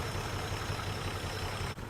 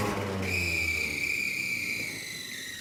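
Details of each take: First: 1949 Plymouth Special Deluxe sat 30 years, first run with an auxiliary fuel pump since factory pump not pumping; low, even, smooth idle with steady soft pulse, no knocks; normal idle. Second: 1949 Plymouth Special Deluxe, first crank after sitting 30 years: starter whirs, engine sputters, nearly catches, then dies and cranks again without running; air cleaner restriction or choke questioned.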